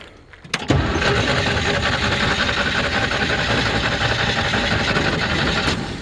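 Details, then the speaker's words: 1968 Jeep CJ5 with original V6, after tune-up but carburetor not rebuilt, old gas: catches after short crank into uneven, lumpy idle with irregular beats; owner suspects gunked-up carburetor. "Oh, if I turn the key on, it might run. Carburetor sounds like it's gunked up. Needs a little work."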